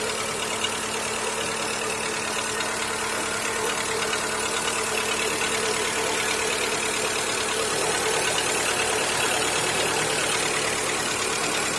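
Petrol engine at idle with a fast, fairly regular light tapping knock about three per second over the hum; source unconfirmed.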